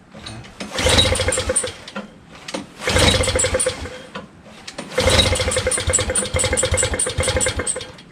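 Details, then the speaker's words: Honda Harmony HS520 four-stroke single-stage snowblower at 21°F, on choke after a quick carburetor clean and idle screw reset about 3 threads out: three short pull-start bursts sputter and die without catching; owner suspects he flooded it. "I might have flooded it with all that stuff, we'll see."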